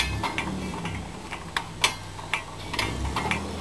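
Sharp irregular metallic ticks, about two a second, as the lift pays out under its own weight; ratchet working normally, no binding.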